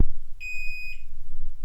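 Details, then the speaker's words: Chamberlain garage door opener (OEM part 41A6357-1) giving a single clear high-pitched half-second beep, repeating about every 30 seconds, warning that its backup battery is dead and needs replacing. "If your garage opener is beeping like that, like you saw in the beginning of the video, chances are your battery is dead"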